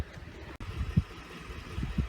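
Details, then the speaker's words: 2010 Ford F-150 after fuel pump and sending unit replacement and vent hose repair: quiet steady low idle with no knocks or misses, only nearby handling noise; running fine and fuel gauge now reading correctly. "well it's running good"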